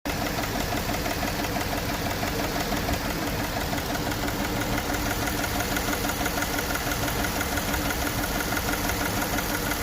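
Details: Jeep idling with an uneven, stumbling misfire beat and a steady metallic rattle from the cylinder head area; misfire diagnosis, part one.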